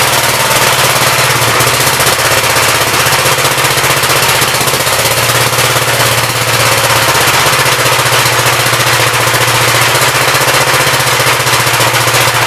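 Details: 1959 Gravely LI single-cylinder engine with 20-over piston, oil drained was mostly water; steady even thump at constant speed, no misses or knocks, good oil pressure, running smoothly.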